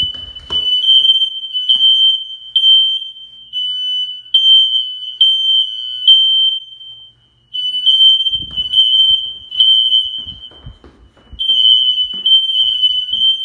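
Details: Newly installed smoke alarms under full-house inspection test, heard from multiple rooms including basement and bedroom: loud, shrill high-pitched beeps in short groups with brief pauses; alarms sounding normally.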